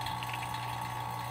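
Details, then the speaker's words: Vacuum pump evacuating the AC system of a 2007 Ford Expedition after AC compressor replacement, gauge near -30 after a minute or two; even, unbroken motor drone with a steady mid-pitched whine, no surging or rattles; normal vacuum pump operation. "so I'm back after a minute or two I still see close to negative 30 but this may not go all the way down"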